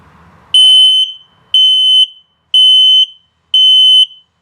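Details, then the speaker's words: 2020 Keystone Carbon 358 RV carbon monoxide/LP gas detector during test: loud high beeps about once a second, four in a row, signalling low battery. "it detects carbon monoxide build up lp gas and if it beeps very slowly it's telling you your battery's low"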